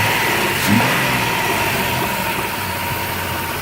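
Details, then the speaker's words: 2001 Chrysler Town and Country mobility van, 3.3 V6, about 210,438 miles, new battery, hood open: steady, even idle with smooth hum and faint constant whine, no misses or knocks; normal idle. "underneath the hood has a 3.3 v6 it idles smoothly"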